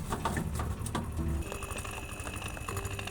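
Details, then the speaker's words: Beko refrigerator compressor after a suction-line leak repair, gas charge confirmed fine: quiet hum with irregular dull knocks and vibration from inside the shell; internal compressor fault, replacement needed, likely from running low on refrigerant. "Ну, компрессор в принципе качает. Единственное, стук издает. И он но это внутри проблема с компрессором. Требуется его замена."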